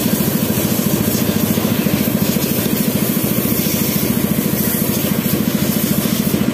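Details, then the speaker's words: Yamaha F1ZR two-stroke after engine rebuild, weak power; fast, even idle putter about three pulses a second, hollow and breathy with no punch, no compression; cracked, previously welded cylinder head leaking at spark plug seat suspected. "bar tapi kenapa suaranya ngempos sekali ya teman-teman seperti enggak ada kompresi mungkin penyebabnya cuma ini teman-teman"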